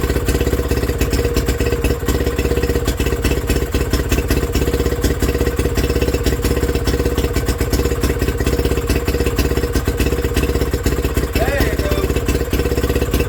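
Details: Villiers WX11 single-cylinder engine, first start after repair with new points and coil and carb work: uneven surging chuff, hunting at idle; needs top adjustment; timing later found to be the problem.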